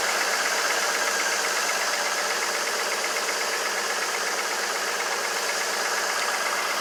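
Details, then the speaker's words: 2002 GMC Envoy 4.2 with cylinder 2 misfire, coil swapped to cylinder 3 with intake partly on: hissy uneven beat about 160 a minute with recurring stumble; misfire moved to cylinder 3, confirming a bad ignition coil. "So the coil was simply bad. So, if you can see there, our misfire went to cylinder 3, confirming that the ignition coil is simply just bad."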